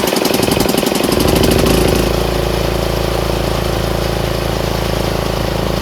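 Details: Troy-Bilt 30-inch rear-engine riding mower just reassembled after carburetor work, with broken throttle plastic so the lever won't stay set. Steady single-cylinder thump at about four beats a second, even and strong, no misses; running and driving healthy.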